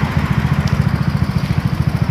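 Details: Yamaha Mio J scooter, under repair for stumbling with the engine light flashing 15 times, after codes cleared via a diagnostic tool: even single-cylinder idle, about a dozen pulses a second, no hunting; normal idle.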